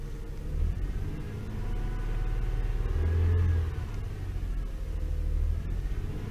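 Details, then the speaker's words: Toyota 3.0L/3.3L V6 idling: deep, uneven, stumbling rumble with steering-wheel vibration and flashing check engine light, a misfire from a faulty VVT-i oil control valve; cleaning failed, new valve fixed it. "shaking really bad. I can feel the vibration on the steering wheel."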